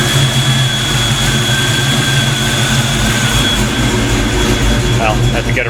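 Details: Black Stang (Mustang) first fire with 24 lb injectors and 73 mm mass air meter, rockers shimmed; steady, even low drone with no knocks, misses or surges while warming up before throttle tuning: normal warm-up idle.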